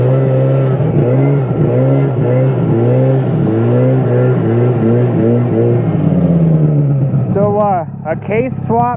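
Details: Yamaha Phazer 2 two-stroke snowmobile after engine, carb and clutch rebuild (cases replaced after a broken motor mount): blips up and down about twice a second, pitch rising cleanly with crisp pickup and no bogging, healthy running.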